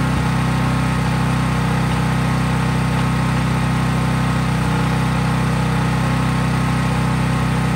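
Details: Craftsman 5000-watt portable generator, cold-started outdoors, at constant governed full speed powering just an LED bulb, so no load: a steady, even hum with no surging or knocking. Normal, healthy no-load running.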